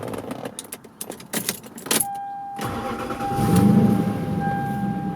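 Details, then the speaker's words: Lexus LS400 at about 175,943 miles, after a new battery seemed to fix slow starting: after handling noise the engine catches almost instantly and settles into a smooth steady idle; normal start. "starting a lot faster than it was"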